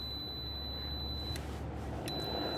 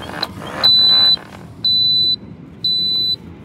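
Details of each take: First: Sliding gate with D5 and swing opener, safety beams moved close range, installer mode, covers off: steady high-pitched tone holding through the clip, briefly breaking; alignment tone confirms beams aligned and working. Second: Gate opener on the combined D5 sliding and Vantage swing setup gives four evenly spaced high beeps, about one per second, signalling gate stalled because the manual release isn't engaged.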